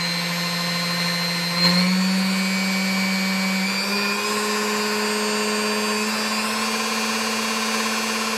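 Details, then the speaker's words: Vintage Sunbeam Mixmaster Model 9 after restoration: smooth steady motor hum stepping up in pitch through the speeds, with no dragging or labouring. Normal run. "all right it sounds better there's no drag on the machine now"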